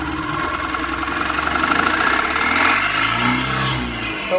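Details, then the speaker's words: Mahindra Maxmo 2013 diesel (previously cranking but not starting, DTCs P0335/P0336/P1120/P0223): starts on first key turn and revs cleanly on the throttle with no misfire or hesitation; running normally. "एक चाबी में गाड़ी start हुई तो accelerator लेते हैं गाड़ी"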